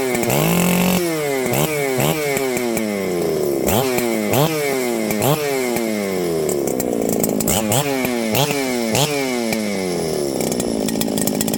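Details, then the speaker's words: Ported Husqvarna 394XP chainsaw, previously fading then wouldn't run, after suspected coil fix: crisp repeated throttle blips rising cleanly to a high scream and falling back without bogging; saw runs strong and healthy, fixed. "well friends I'd say it's fixed let's see how this thing restarts"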